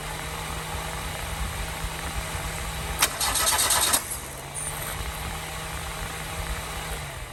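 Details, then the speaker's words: Toyota Glanza parked since 2021; even starter whirr cranking with a brief hissy burst, never catches; no fuel at cracked line, owner suspects fuel delivery or injectors, not confirmed; cranking, no start. "no fuel is coming up from there so I now have the line cck I'm going see if any F come up from there hopefully"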